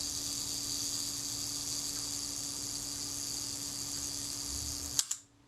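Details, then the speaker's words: Agfa Record II folding camera, Synchro-Compur shutter after service, self-timer test: even high buzz of the timing escapement for about five seconds, then a crisp snap as it closes; shorter than expected but times out; working normally. "I wouldn't have said that was a long time for a self-timer, but it certainly did time out."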